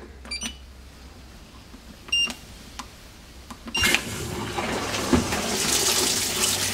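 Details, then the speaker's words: Fisher & Paykel MW511 washing machine on its first test run after the error 130 rotor position sensor fault repair on the Smart Drive motor: a few beeps, then steady water fill with soft churning as the agitator spins; normal fill and agitation, fixed. "so as we can see now we've got a bit better result the fit in the middle is spinning which means it's fixed pretty"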